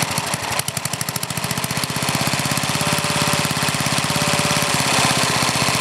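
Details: Older Briggs and Stratton, one-piece Flo-Jet carburetor, air filter off: popping fast and unevenly, stumbling and rough as it starves for fuel; mixture screw turned in, idle too lean, smooths when screwed out richer.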